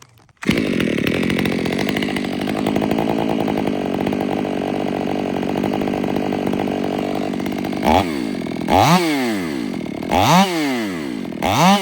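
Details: Ported Stihl MS500i (Empire Workshop) on a 32-inch bar with a MaxFlow plug-and-play air filter, unmodified, holds a steady loaded scream through the long cut, then revs up and down freely between cuts; healthy, strong saw.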